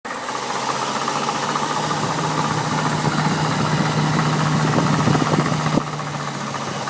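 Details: BMW N62B48 V8 idling with a steady hum and light regular clicking, roughly four per second, from a failed water pump.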